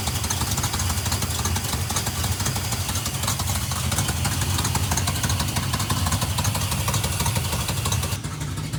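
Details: 1971 Plymouth Satellite 318 V8 with a newly fitted Thermoquad, secondary pull-off rerouted to manifold vacuum: loud, lumpy idle with an uneven stumbling beat. Running rough; idle mixture adjustment and a vacuum leak check planned.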